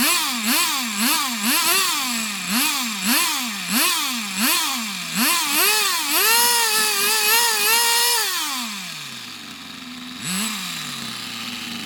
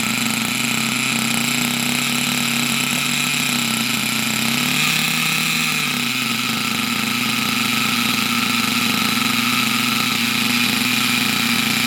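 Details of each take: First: Unknown nitro RC buggy after its very high tick-over was lowered, with suspected filter problems blown through: high-pitched buzz with repeated blips about twice a second, then steady high run easing down, running cleanly. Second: Unknown nitro RC buggy with its very high idle lowered: a high, buzzy steady fast idle whose pitch swells briefly. It died earlier after running a while; owner suspects the exhaust isn't pressurizing the fuel tank.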